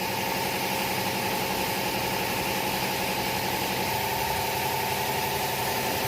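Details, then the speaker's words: 2011 Chevrolet Captiva 2.4L petrol after replacing the faulty cylinder 4 injector (code P0300 misfire, shaking) and a test drive: engine idles smoothly and evenly, no misfire shake or knock; normal idle. "ตอนนี้หลังจากที่เป็นหัวฉีดไปก็อาการปกตินะครับ"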